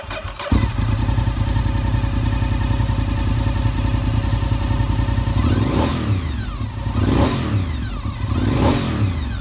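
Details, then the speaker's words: 2002 Honda RC51 V-twin, warmed up with the fast idle lever in the normal run position: steady, even low thumping, and quick throttle blips return cleanly; healthy warm idle. "Alright guys, we've got her warmed up a little bit. As you hear it start up, the fast idle lever is down to the normal run position."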